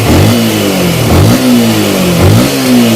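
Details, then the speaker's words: Yamaha M-Slaz after engine repair (new cam and head, special valves, original piston, ECU reset, new charging plate): small smooth revs settling to a quiet steady idle with no clatter; the loud clanking before repair is gone. "ตอนนี้ก็ลองฟังเสียงเครื่องดูนะครับเสร็จแล้วกับตอนตอนแรกที่เสียงดังมากแต่ว่าตอนนี้เงียบมากนะครับ"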